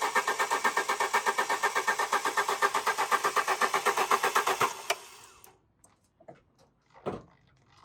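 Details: Alfa Romeo 145 Cloverleaf after sitting 8 years, roughly 3/4 tank plus a jerry can of fuel: steady fast starter churn at about four beats a second, engine never catches; fuel pump found not pumping fuel, pump being removed.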